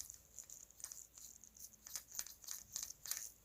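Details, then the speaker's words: Axial SCX10 III RC crawler transmission turned by hand: light, uneven clicking and crackling chatter from dry, ungreased two-speed and dig gears with slop, before greasing. "And if you don't have grease in there, like you can see, there's nothing in there. You're gonna get a lot of trans noise."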